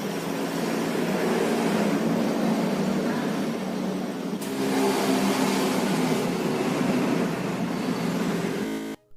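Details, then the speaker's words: Timing-belt tensioner removed from a Xenia 1.0 and spun by hand. Steady gritty rushing sound from the rough, worn bearing; the tensioner needs replacing. "Tensioner yang sudah harus dilakukan pergantian akan terdengar bunyi kasar sebagai berikut."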